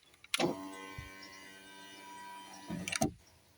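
A smooth, steady electric whir runs about two and a half seconds and stops cleanly; the window motor is working normally.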